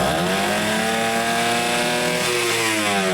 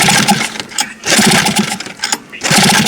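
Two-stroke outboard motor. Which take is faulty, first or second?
second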